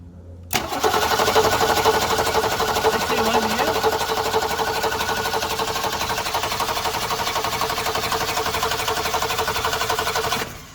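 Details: 1966 Ford Mustang 200 straight six that stalled on the driveway, running on a battery borrowed from another car, during ignition diagnosis before fuel checks; steady starter cranking at about four beats a second with even compression pulses, never catches, cause not yet found.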